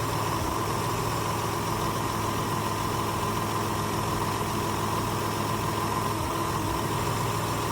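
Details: Toyota petrol truck idling with a steady drone and a faint uneven stumble; the customer reported rough running, and a misfire on cylinder 2 was traced to a worn ignition wire. Fixed with spark plugs, wires and coil boots as an overdue tune-up.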